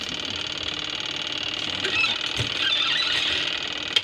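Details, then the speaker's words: Old washing machine repaired and running again, with the lid missing and the main switch not yet fitted: the motor gives a steady, even high whir with no grinding, knocking or scraping, so it sounds healthy. "Ayan, umaandar na guys yung ano oh. Narinig nyo ba yung tunog na yan guys? Wala pang power pero umaandar na."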